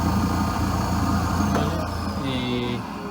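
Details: Nilfisk Elite vacuum cleaner: motor drones with a rough fluttering rumble and wavering whistle tones; the cause was a clogged suction tube.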